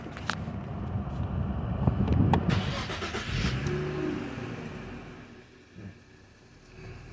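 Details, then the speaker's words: 2011 Infiniti G25 with a push-button no-start caused by a bad steering lock box, after installing the new box: short crank, catches within a couple of seconds and settles to a quiet, steady idle, a normal start. "we got our new one here plug it in lights off start and there we have it"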